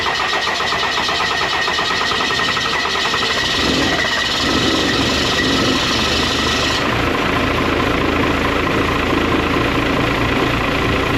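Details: 12-valve Cummins diesel truck after upgrading to a Smeding 64.5/68 billet turbo from a 62/65: steady diesel clatter at even idle with a faint turbo hiss above it, engine running on its own normally.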